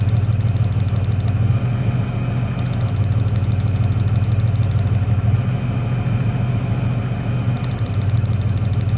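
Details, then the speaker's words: 1996 Ford Ranger 3.0L V6 lacking power, steady idle that sags when plug leads on one bank come off, so those cylinders fire; on the other bank the last lead brings no change, so that cylinder is dead. "los cilindros de este lado están funcionando bien se nota el cambio al desconectar los cables bueno ahora voy a hacer lo mismo con estos otros tres cables el problema está en el último al desconectarlo no se nota ningún cambio en el motor"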